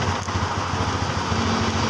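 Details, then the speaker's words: Yamaha Xeon scooter after stator coil replacement, running with battery disconnected to test charging: steady, even idle, smooth unbroken beat, no knocks or misses; charging output good after repair. "Kita buka baterai. Dia harus hidup tanpa baterai. Setelah kita lepas begini, Honda masih hidup."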